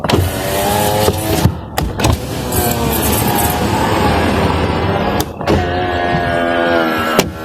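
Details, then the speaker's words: Toyota Fortuner power window: the motor hums steadily on each run, then a sharp bang hits at the very top of travel as the glass snaps up, bulging the door outward. Regulator needs adjustment and may break the glass. "And then it's also making a kind of a loud banging in the very top because it uh snaps too. So, I'm afraid this thing is going to break it glass if it's not adjusted properly."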